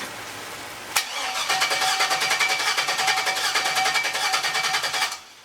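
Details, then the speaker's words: LS turbo Miata kart after turbo oil feed and return line work: starter churns steadily about three and a half beats a second for four seconds but never fires; sounds like no fuel despite fuel smell, fuel pressure regulator was removed; crank no start. "So we're gonna fire it up and see if it still runs. Contact. Sounds like no fuel. I smell lots of fuel actually."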